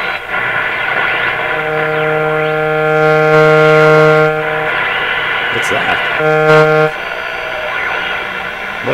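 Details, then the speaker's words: Canadian General Electric JK-66 radio tuned on the A (broadcast) band near 640–680 with a Beam-A-Scope antenna: a buzzy tone switching on and off over station hiss, a new interference noise from an unknown nearby source. "Oh, that's a new noise in my shop. I haven't heard that one before. Wow, what's doing that?"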